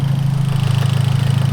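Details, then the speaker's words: Hyundai Genesis Coupe engine at idle while warming up: fast, steady metallic pulsing, about fourteen beats a second, over a low rumble. Yesterday it sounded bottom-end; today top-end and worse; source unconfirmed, engine knock. "we had more of like a bottom end noise. The noise today is totally different and it sounds definitely on the top."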